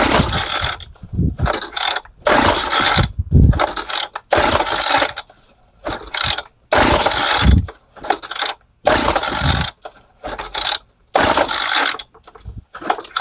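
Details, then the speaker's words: Craftsman 21cc two-stroke hedge trimmer, roadside trash find with old fuel lines, plug back in after oiling cylinder: repeated recoil pulls give a brief pop then it dies; has spark and compression, starved of fuel. "Okay, so she popped off and it ran. Well, I wouldn't say it ran, but it popped off and sounded good. So we know that it's got compression. We know that it's got spark. Now we just got to get the fuel running into that carburetor and into that engine."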